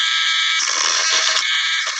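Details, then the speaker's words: Drill about five years old, running a small worn stone: high, raspy whine with a rough, shrill edge from its worn bearings, heard while working on a 1985 RX-7 fuel gauge sending unit; worn bearing noise suspected. "The bearings are kind of hollering at me. They're kind of worn."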